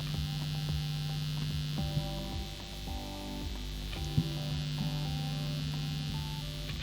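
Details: Guitar amp setup with single-coil pickups: a low, steady, continuous mains hum sits under the guitar notes, picked up from nearby equipment and lights. Angling the pickups away from the equipment reduces it; shielding tape or humbuckers are suggested fixes.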